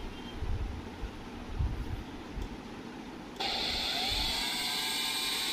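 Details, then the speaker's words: Preethi Zodiac 1000W mixer grinder after repair of its PCB speed-control board (display had not worked): quiet for a few seconds, then the motor switches on to a steady, even high whir with no rattle or stutter; runs normally, problem solved. "Finally इसमें जो भी problem था वह 100% solve हो चुका है"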